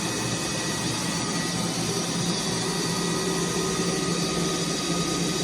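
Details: Precor 964i commercial treadmill at maximum speed: loud, steady rushing whir with faint constant tones, no knocks or grinding; normal noise, belt tracking smoothly.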